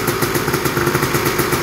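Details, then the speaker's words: Honda TRX250R two-stroke first start after full frame-off restoration, Chinese carburetor fitted; crisp even idle ticking about eight pops a second, no knocks or rattles, before heat cycles; normal idle. "Sounds good. Do a set of heat cycles to it next."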